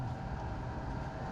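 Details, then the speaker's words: Newly wired boat engine-compartment ventilation fan, first test after connecting to the fuse panel: steady rushing airflow with a low even hum, no rattle or grinding; powerful but noisy, normal. "ouais on l'entend l'uteur il est là ça ouais jeentends c'est puissant quand même c'est puissant mais"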